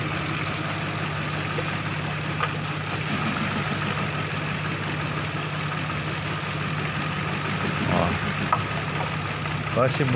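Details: Hyundai Accent with engine light on: uneven lumpy idle with irregular stumbles, a cylinder missing; ignition coil/wiring checks point to a cylinder two ignition fault.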